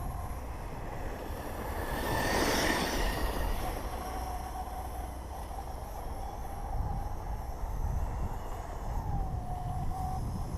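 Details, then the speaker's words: HPI Vorza Flux truggy RC car fitted with Draco parts, during a diff-case test with 1:30 left: a thin, mid-pitched whine holds steady and wavers slightly with speed over gritty running noise; the owner calls it a weird sound, cause unknown. "What are we doing here? 1 minute 30 to go. It's a weird sound."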